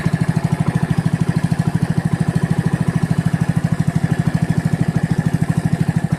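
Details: Small moped engine (Alpha/Delta/Orion type) after fixing a whistle: even putter about three beats a second with no whistle; the cause was a bad intake manifold gasket, not the muffler or valves.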